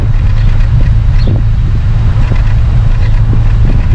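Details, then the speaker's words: Chrysler 300 after PCM replacement for misfire from injector circuit stuck on: at tailpipe, idle puffs uneven with dropped beats, still a slight miss, white fuel smoke gone; owner suspects fouled spark plug, warming up. "It's definitely still got a miss. It could be a fouled plug now. We'll let it warm up and see what happens. That's pretty bad. Still has a little miss at idle, but I think it's trying to go away."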